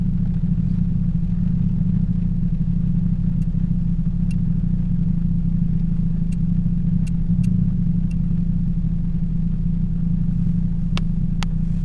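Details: 2007 Toyota Yaris 1.5L 1NZ-FE, after a cylinder 3 misfire and replacing all spark plugs and coil packs, in the rain: low, even idle hum with no skips or stumbles and rain ticks on top; all cylinders firing cleanly.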